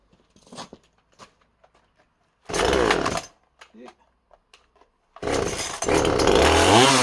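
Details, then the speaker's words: Project chainsaw cutting small wood: revs high, pulls down steadily and recovers cleanly without bogging; cuts clean, though it seems to lean out slightly at the end and chain may need sharpening; carburetor suspected to need servicing. "So she certainly cuts pretty clean."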